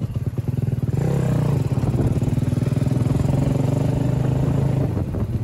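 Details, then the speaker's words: Honda Supra motorcycle with Daytona 190 engine, first road test after revival: single cylinder stutters and chops unevenly under throttle, occasionally popping and stalling; lean misfire, carburetor not yet tuned, owner attributes it to lean mixture. "Dan bisa dilihat kan tadi gue mati-matian terus berkali-kali karena itu penyebabnya kurang lamsang dan kadang-kadang suka meledak gitu."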